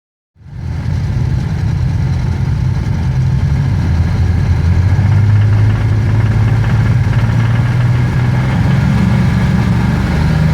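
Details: BMW M30 engine at about 2500 rpm with a steady uneven knock or rattle of roughly three beats a second underneath; the source is unknown.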